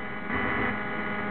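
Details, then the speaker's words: Laptop connected to a DJ mixing board: constant low buzzing hum with a faint hiss, steady and unchanging, coming through the board; ground loop hum. "okay anyone who is djed knows that sound that is a sound of a laptop okay that's the sound that the laptop makes coming through the board"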